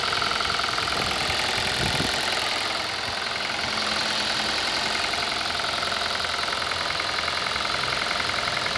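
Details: 2018 Kia Rio at idle: a quick, fairly even ticking knock, about three or four a second, riding over a steady idle. Engine knock.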